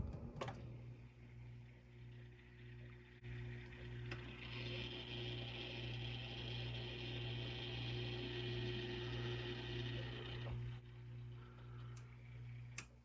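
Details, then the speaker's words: Whirlpool fridge with the complaint of a cracking or weird noise every couple of hours: steady low hum with a faint, even ticking grind as the air damper motor closes when the fridge is switched off; faulty damper motor, replaced (WPW10479155). "when you turn it off and it shows like this on the display this damper motor should be closing see now it's going to close and this makes the noise"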